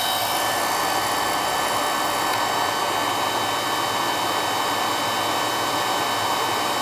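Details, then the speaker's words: Carlin EZ1 oil burner, previously running rough from lack of maintenance: steady, even flame roar with smooth fan hiss and no pulsing. It no longer shakes and runs much smoother. "all right so let's see what happens now how it runs she ain't got the shakes no more oh a lot smoother this doesn't have the parkinson's no more"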